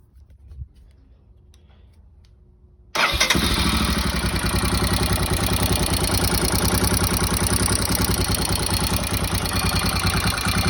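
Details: Royal Enfield Himalayan after installing a new Himalayan Tools cam: starts and idles with fast, fairly regular light tapping over the thump; engine noisy since cam change, valvetrain ticking suspected.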